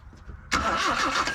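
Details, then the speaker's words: Truck last registered in 2005, cranking: the starter cranks steadily for about a second and it never fires. Spark is lost whenever the distributor cover is refitted; owner suspects the points ground wire touching the cover, giving a constant ground. "she ain't got no spark nope she sure don't this is a new one for me guys every time I put this cover back on I'm losing my spark no spark"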